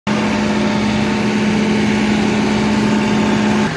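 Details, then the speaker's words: John Deere 4052R tractor, Tier 4 diesel with diesel particulate filter, just started a DPF regeneration: steady, even running with a constant low hum, no knocks or misses; normal running during regen. "the tractor just started regenning. So now I gotta let it run."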